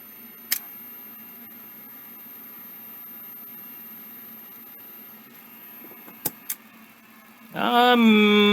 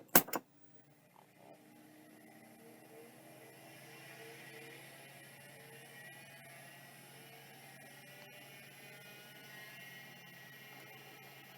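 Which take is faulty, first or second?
first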